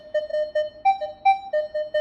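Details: Minelab Equinox 600/800 metal detector using the advanced F2 setting over an open bottle cap: clear repeating mid-pitch beeps with a couple of higher tones, a solid good-target signal with low iron bias.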